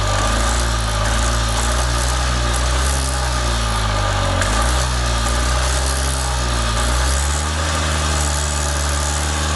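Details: Columbia Parcar (Freightliner-badged) golf cart small engine revived after it would not turn over, with old gas still to be drained. Smooth, steady idle with an even low thrum, no misses or knocks, and oil can be smelled. Normal idle.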